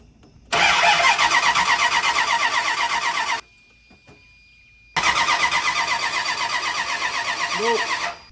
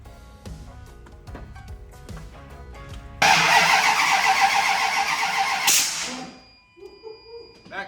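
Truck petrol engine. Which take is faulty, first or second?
second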